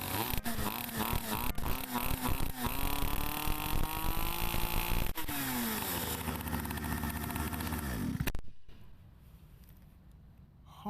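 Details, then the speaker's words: Small two-stroke pocket bike, first start after months of storage, blue smoke: buzzes and revs unevenly, then one sharp pop as it backfires. "okay a pocke blog update it actually backfired I hope you can see on camera I heared it that's for sure"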